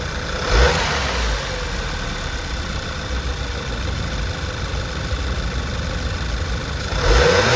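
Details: VW 2.0T after installing a PWRHAUS diverter valve spacer, engine running: steady idle broken by two sharp revs, each ending in a quick airy release as the throttle shuts; the diverter valve vents properly.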